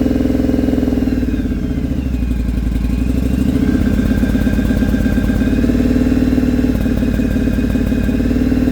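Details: Engine after fitting a 2-into-1 exhaust, high-flow filter and jet kit: uneven, stumbling exhaust beat at idle and through the revs with irregular pops. Misfire suspected from carbs needing tuning, rich/lean or ignition; not confirmed.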